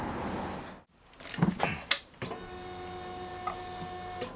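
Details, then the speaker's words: Honda CB1300 after engine rebuild, first start attempt: at key-on a steady electric hum for about two seconds, fuel pump priming normally; plug smells of fuel, so fueling okay. "Now you can hear the fuel pump prime. The spark plug did smell of fuel when I take it out, so I think the fueling system is okay."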